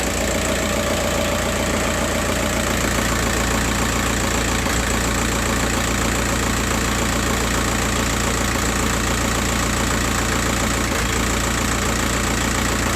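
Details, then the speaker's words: Cold first-morning diesel idle after a service, lumpy with occasional stumbles. The oscilloscope on injector pin 7 shows the injector #3 signal intermittently missing and the engine sound changes when it drops. The signal shape is okay; intermittent cylinder 3 misfire. "Okay. Uh as right now injector number three is misfiring and as you can see uh sometime the signal there is no signal. Look and you you may hear the sound of the engine is changing when there is no signal appearing here."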